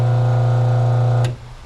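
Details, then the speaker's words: New RBG712 Wall Enterprises blade sharpener/grinder, 1/2 hp single-phase 60 Hz ball-bearing motor, first switch-on after setup: steady smooth quiet hum, clean even tone, no rattle or bearing growl, then quick switch-off; normal healthy running. "Ooh, I'm gonna turn it on. See what we got. Let me stand out of the way. Ooh, that thing is quiet."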